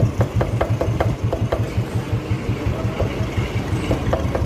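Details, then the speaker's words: Motorcycle engine, half disassembled: steady low knocking about three per second over a slow idle. A main bearing on one side is loose with play, letting the crank knock. "इसका main bearing एक side का जो है इतना ज्यादा आवाज क्यों कर रहा है और मैट कितना भारी है वो भी दिखाता हूं आपको। ये देखो ये वाला जो बैरिंग है ये हो गया लूज। ये इसमें प्ले आ गई है।"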